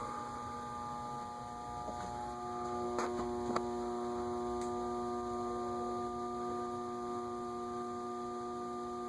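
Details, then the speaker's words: Leading Edge A-60 60-inch cast-iron industrial ceiling fan, reportedly 1985, at low: steady electrical hum with faint ticks and no rotation while stalled; noisiest at the stall point, cause unexplained. "no we're going to stall out again interesting that it's noisiest at the spot where it's stalled I'm sure one of our motor gurus can explain why that is"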